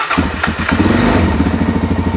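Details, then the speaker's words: 2006 Suzuki DR-Z400S, only 600 miles, long-sitting with old gas, hot day, choke out: single cylinder catches then chugs lumpily, wants to die when throttle twisted; hard starting from dirty carb, clogged pilot jets and carbon buildup. "it starts pretty wide you see i'm twisting the throttle and it's just it wants to die and if i pull out pull the choke in barely and that'll do that"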